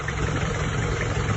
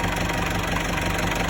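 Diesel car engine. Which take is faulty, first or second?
first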